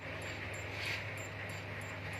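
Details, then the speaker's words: LG Flatron slim CRT TV, dead with no indicator light: faint evenly spaced high ticks about three per second at power-on like a countdown beep, then dead; suspected shorted horizontal output transistor. "itu bunyinya [Tepuk tangan] bunyi seperti bom hitungan mundur itu langsung mati kita tes lagi langsung bunyi saat dinyalakan"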